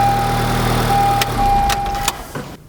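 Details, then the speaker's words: 2012 Honda Civic Si with a horrible noise, idling with the serpentine belt removed: quiet even idle with no knocking or grinding, proving the noise comes from the belt drive system, not clutch or main bearings. "But the serpentine belt drive system, once we remove the belt, the noise is gone. It's silent."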